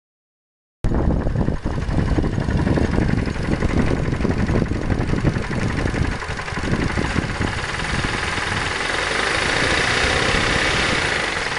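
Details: Mazda 3 petrol engine running rough with heavy, uneven knock at idle; cause found as sunken cylinder liner and broken piston in cylinder 4 after a previous overhaul.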